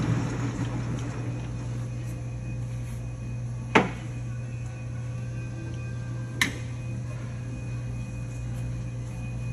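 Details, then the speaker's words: LeBlond Regal 13" x 30" engine lathe headstock running: smooth even hum with steady gear mesh whine, no ticking, only light clicks; running normally. "you can hear the headstock it's not a ticking it's more of a mesh as you can hear it in rotation"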